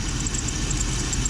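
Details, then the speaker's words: Jeep WJ, hot engine after about an hour of driving, idling: quick high-pitched chirps, about eight a second, from low in the accessory drive over a steady idle; dry idler or tensioner pulley bearing, later greased. "There it is. Hear it? Little birdie in there. Little birdie. Sounds like it's coming from down yonder."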